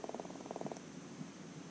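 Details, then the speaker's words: Cycliq Fly6 Gen 2 bike camera, 10 months old and defective: pressing power gives a quick burst of faint, crackly static clicks and no startup beep; the phone app cannot find it. "again we didn't hear the beep we just heard that clicking staticky"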